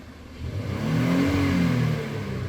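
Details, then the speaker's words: 2019 Honda Odyssey near operating temperature after fixing cylinder 3 misfire (rat-damaged injector connector area), revved to about 2,000 RPM where it misfired before: smooth rise and fall with no stumble or popping; no misfires. "And now we will rev right around 2,000 RPMs. There, bud. And that's looking real nice."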